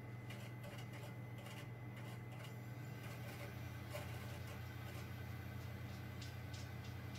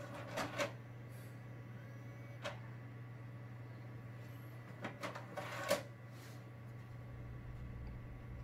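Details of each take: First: Xbox 360 disc drive that had been stuck closed and grinding, after realigning the tray pin: quiet, steady low hum with faint light clicks, no scraping; disc spins and the game loads normally. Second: Xbox 360 disc drive after repair: low hum with sharp clunks as tray pulls shut then pushes straight back out; tray reopens after closing, possibly laser problem, unconfirmed.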